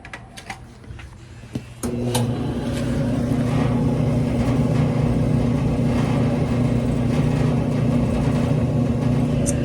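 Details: Whirlpool-made Conservator dryer after replacing bad heating element (279838), thermostats tested good, plugged back in and heating: after a brief handling knock, steady even drum rumble and smooth motor hum, no squeal or thump; runs normally.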